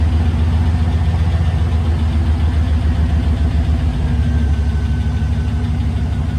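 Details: 1999 Chevy Silverado 2500, replacement used 6.0L LS V8 (180k miles, swapped for failed 250k engine), first start after install: steady low rumble at idle with an even beat, no knocks or ticks, no leaks; normal idle.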